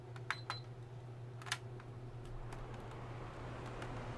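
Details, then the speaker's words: Tower fan owned about 3 years, tested after full disassembly, cleaning and motor lubrication, before reassembly, held off the ground: quiet, steady low motor hum with a few handling taps early on and no squeal; the motor runs freely. "I don't hear any squealing. So, sounds good to me."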